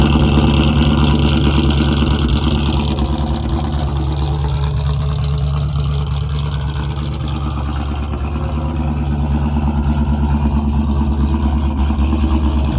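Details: A 2001 Mustang Bullitt V8, started in winter on a big battery charger after a dead battery, holds a deep, steady, even burble at idle, not revved, with no misses, knocks or surges; idling normally.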